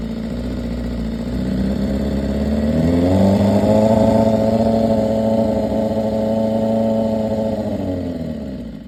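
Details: 2015 BMW S1000RR inline-four, 7.8K miles: idles, revs up and settles back, with a light, fast tick faintly under the exhaust note; top end ticking, cause not pinned down.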